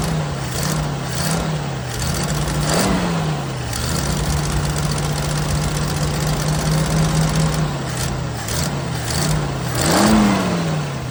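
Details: 1979 Jeep CJ5 after sitting since 2019, start on choke/carb cleaner: idle hunts unevenly, rising and sagging every second or two with a ragged tone; running rough, owner suspects carburetor and tank need work, fuel-related.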